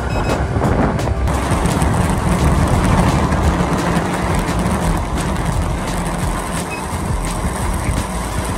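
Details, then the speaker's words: Veteran Sherman-S electric unicycle under hard riding: fast quick beeps over wind and tyre rush, the power-draw overpower alarm, around 60 km/h in usual mode, later (75–80 km/h) in high-speed mode. "first up there's alarms for power draw and there's actually two modes on this wheel a usual mode and a highspeed mode so in the highp speed mode it will beep later than in the usual mode so usually you will hear the beeps either if you go really quick"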